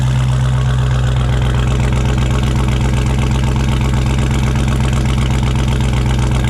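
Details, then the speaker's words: Hellcat with ported supercharger on E85, first startup in months before the supercharger coolant system is installed: steady, even idle with a faint high blower whine over the exhaust and no knocks; normal supercharger whine at idle. "I can hear that ported blower whistling already on idle. That ported blower makes a wine. Very small wine, but on [Music] idle."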